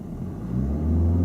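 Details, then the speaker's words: Learner driver setting gas in first gear with handbrake on before moving off: engine note climbs into a loud, strained roar instead of a lively hum; too much gas, excessive revs. "yeah you don't want it too powerful because if we have too much gas Tony we go too fast"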